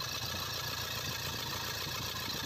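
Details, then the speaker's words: Toyota Fortuner diesel that would not start, after bleeding air from the fuel system so all injectors get full diesel supply: steady even idle, no stumble, hunting or misfire; running cleanly. "kaya wala siyang ah palya at maganda na yung andar"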